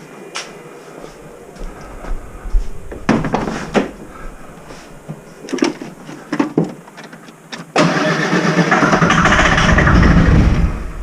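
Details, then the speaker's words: Mercedes OM603 diesel in a Ford Ranger with ZF5 transmission, sat a while, starting fluid sprayed: several short sluggish cranking bursts then a longer labored crank; starter turns slowly on a dead battery, fuel primed. "it's been sitting a little while just another little man that battery wasn't dead she would probably go"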